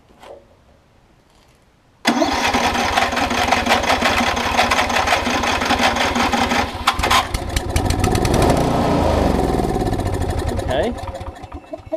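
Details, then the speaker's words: Circa-2015 Snapper rear-engine rider, push-mower-type engine, spark confirmed, started on fresh fluid: catches, runs a few seconds with surging uneven beat, sags toward stall; suspected bad gas, varnished carb; fuel starvation, carb clean needed. "as you can tell it's probably got some bad gas in it somewhere because it's not staying running but that's okay i figured we're gonna have to do a carb clot on this"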